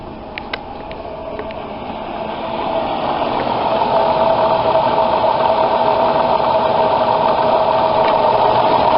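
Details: 2003 van before repair, with a steady mid-pitched whine over the engine that grows louder as revs climb. The cause is a seized alternator decoupler pulley, fixed by fitting a new, higher-amperage alternator.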